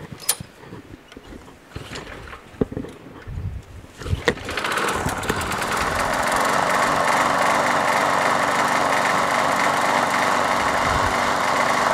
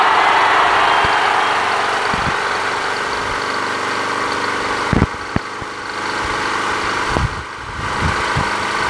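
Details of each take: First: Craftsman push mower, swapped engine, now properly bolted down, oily spark plug replaced with a better used one. A few uneven pops and sputters at start, then settles into a steady fast putter after about 30 seconds. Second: Another Craftsman push mower with Quantum engine after winter storage, primed and started. Even, steady single-cylinder buzz holding speed, no misfires or knocking; runs cleanly, rpm sounds right.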